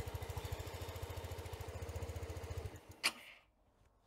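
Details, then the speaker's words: Sym Jet 14 fuel-injected scooter on jump-start box, throttle cable off: quick even putter on cracked throttle then fades and stops, won't hold idle; owner suspects overheating ECU, unconfirmed. "ja also man merkt der will aber irgendwas irgendwas reicht nicht aus"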